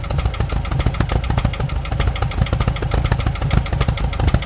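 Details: 1988 VW Vanagon just after a new mid-pipe, catalytic converter and muffler replaced the badly clogged originals: a lumpy idle stumbling every second or two over a clattery background, sounding like a misfire. The cause is unconfirmed; grease was burning off the exhaust.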